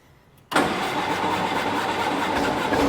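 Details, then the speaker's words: 1944 Willys MB Jeep sitting about 30 years, untouched, battery and starting fluid, in neutral: silence, then engine catches instantly and settles into a steady, even run with no misses or knocks; healthy start. "There She Goes yeah pretty dang cool you can just do that for a vehicle it's been sitting for 30 years on a 75 plus year old design"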